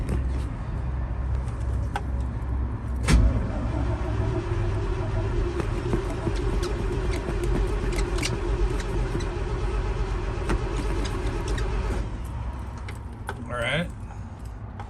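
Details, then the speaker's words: GMC 7000 boom truck, 366 big block with electric fuel pump, 80,000 miles, in neutral, cold start on half then full choke: steady slow starter churn, about two a second, for many seconds without catching. A long crank with no start. "give that a second maybe try a full choke wants to go take your time with these old trucks"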